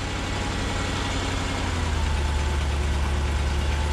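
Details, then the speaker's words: Engine started with a TackLife T8 Pro jump pack at 98% using its boost function, nothing else connected: steady, even low rumble with no knocks or misses; starts effortlessly and idles smoothly. "so now it clicks to totally solid ready wow wow gotta be kidding me it starts it like effortlessly"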